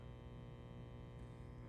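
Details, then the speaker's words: Marshall DSL100/JCM2000 tube amp with the phase inverter tube removed, one power tube pair drawing 43 mA versus 25 mA: a steady 120 Hz hum with a buzzy edge heard near the speaker, from roasted, unevenly drawing power tubes. "if I'll put her closer to the speaker you could hear a solid 120 um frequency there coming"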